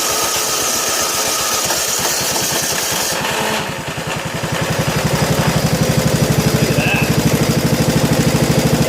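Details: 1987 John Deere SX75 riding mower, first run after fuel system work on battery charger: steady thump about three beats a second settling into an even rhythm; runs on its own, normal running.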